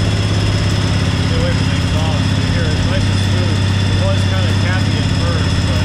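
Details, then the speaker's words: 1998 Craftsman GT garden tractor, Kohler twin engine with hydraulic lifters, fired right up after fresh gas and different battery, choke on: steady even V-twin thump, no ticking or misses; normal idle. "this thing has a nice sound to it really sounds like a good v2 like a harley v"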